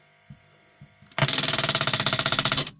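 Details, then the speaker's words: Grundig Reporter TK12 reel tape recorder, reassembled, play pressed: rapid, fairly even buzzing rattle about four hits a second; the solenoid that pulls the heads onto the tape chatters instead of pulling in, cause unknown. "So this what's happening here is this solenoid here should energize pull this in. When it does that it brings these onto the heads when it's playing. But it's chattering now."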